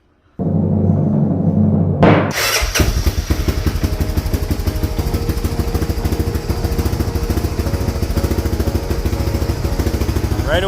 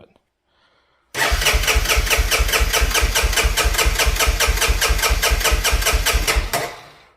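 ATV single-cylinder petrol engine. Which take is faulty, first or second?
second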